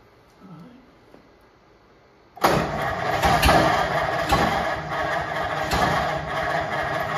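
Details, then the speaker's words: 1950 Ford F1 flathead just reinstalled, after a spark jumper thought to have worked loose was tightened: engine catches and settles into a steady, even run, no longer popping and sputtering, firing cleanly; no coolant in it yet, so only run briefly. "It ain't pooping and sputtering like it was. We don't run it anymore. We got it going."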